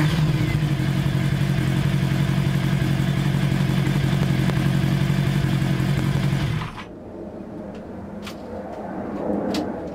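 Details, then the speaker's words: 1982 Kawasaki 750 LTD four-cylinder after replacing the transmission cover seals and clearing an oil air pocket: even, steady idle with no knocks or misses, then shut off. No leaks and it runs fine, though the carbs still need re-jetting. "the seals are in place nothing is leaking everything is working fine so let's start it up so you can at least hear what it sounds like"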